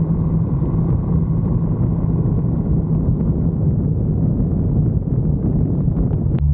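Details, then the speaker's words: 1974 Bitter CD, Chevrolet 327 V8, warmed up, test drive under load after HT leads, cracked distributor cap, points and condenser replaced: deep even rumble holding steady, no missed beats; misfire fixed, normal acceleration. "under load now and yeah sounds sweet as it should y yep sounds good Happy Days"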